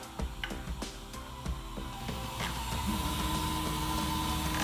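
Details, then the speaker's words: Modix Big60 v2 large 3D printer with closed-loop steppers upgrade, X and Y axes moving: low soft stepper hum with faint ticking, no grinding or skipping; quiet normal motion. "but for a big machine like this to have just that noise for X&Y means that printing is extremely quiet"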